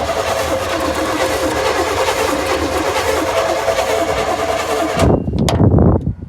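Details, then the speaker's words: 1980 GMC Sierra Classic on a new battery, before fuel was added: the starter spins the engine evenly for about five seconds but it never fires. Cranks but won't start because no fuel is getting through. "turns over now the only logical thing left to do let me get the door open is to uh go in put some fuel in we'll see if we can get this engine started"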